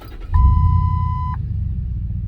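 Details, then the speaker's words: 2007 Ford F150, exhaust formerly very loud, now quieter: strong low engine rumble at start-up with brief chime, steady and fairly subdued, no drone; normal exhaust note. "he truck used to be really, really loud, exhaust wise. It's not so loud anymore."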